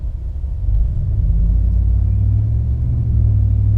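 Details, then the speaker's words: Dodge Ram 1500 5.7L HEMI with Carven progressive muffler, pulling away gently from a stop; deep loud drone swelling at low revs, bad around 1500 rpm, easing around 2000 rpm; owner removing it as too loud. "it's just always on. There's no off to this exhaust. So it doesn't matter if you're slowing down or just leaving a light casual, it's always making noise."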